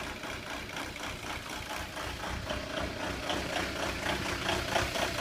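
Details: 2002 VW Jetta TDI diesel with code 17970 (quantity injection N146 upper limit reached): clattering knock at idle, about four beats a second, surging and uneven rough idle.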